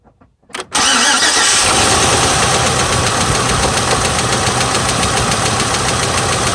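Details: 2006 GMC Envoy XL Denali 5.3L V8 (LH6 Vortec, Displacement on Demand), 68,400 miles: starts and settles into idle with a steady, heavy rod knock after repeated oil pressure loss.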